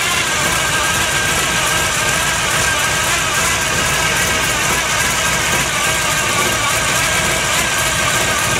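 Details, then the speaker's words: 1957 Chevy custom V8 at cold start with a Pete Jackson gear-drive timing set: loud busy running with a constant high mechanical whine, normal for the noisy gear drive. "by the way i forgot to mention it also has a pete jackson gear drive a real noisy one if you didn't already hear it"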